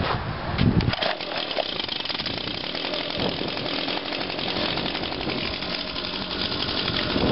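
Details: Echo PB-251 two-stroke leaf blower after fuel line replacement, started on choke after priming: steady high-revving buzz without stumbling, starting on the first pull and running normally.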